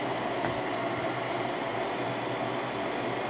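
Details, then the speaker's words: Windmill 6,000 BTU window air conditioner installed in a window, cool mode set to 60, fan on high: steady, even whoosh with a low hum, no rattles or cycling; runs normally and quietly. "It is pretty quiet."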